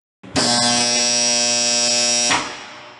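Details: Contactor with dirt deliberately placed on its fixed and moving core faces: loud, harsh electrical buzz for about two seconds as it chatters, unable to seat.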